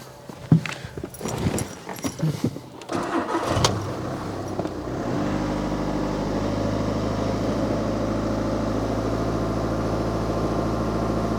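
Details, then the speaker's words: VW Scirocco diesel, warm, after fuel filter replacement with ignition cycled six times to prime. Clattery cranking, then it catches and settles to a steady, even idle, accepting throttle straight away; starts and runs healthy. "Lovely, that is good. So just leave it running, check for any fuel leaks. Like I said, leave it running. My engine was warm already, so it's good. Didn't mind accelerating straight away."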